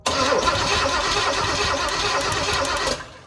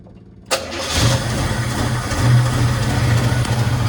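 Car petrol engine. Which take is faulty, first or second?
first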